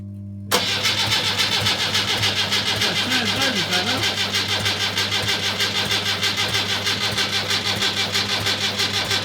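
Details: Rebuilt Land Rover Series III diesel, first start after rebuild, injector pump timing just adjusted, glow plugs preheated: brief crank, then catches into a lumpy pulsing idle with hard clatter; slow diesel start.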